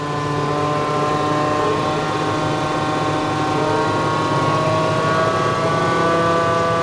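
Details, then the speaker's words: JF forage harvester revved flat out after repairs following a silage breakdown: a hard, steady howling roar with no let-up because the drum knives are set very close to the shear bar. "Oh, the noise of it. We have set the blade so close. Wow. That is unreal, the noise of that."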